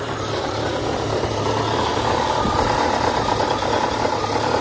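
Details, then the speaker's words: 1989 Jeep Cherokee XJ Renix 4.0L I6, AW4 automatic, first start after cracked flexplate replacement: steady idle with loose tinny rattle and dull thump, light smoke from leaked transmission fluid; exhaust suspected rattling against transmission. "yeah it really just sounds like exhaust parts yeah exhaust is rattling against the transmission possibly"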